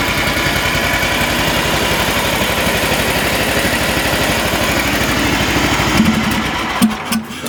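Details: Briggs & Stratton engine on a TimeCutter Z480, formerly a no-start with spark and good valves, running after a flywheel key replacement with the shroud off: quick, even firing with no misses or knocks, then handling noise; runs normally.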